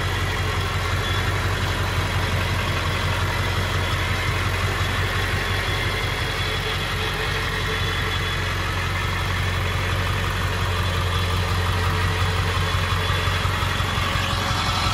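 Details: 1999 Ford F-350 SuperDuty XLT 4x4 dually, 7.3 Powerstroke diesel, 88k miles, just after starting: steady deep diesel idle with an even clatter and no misses, knocks or surging. Healthy idle.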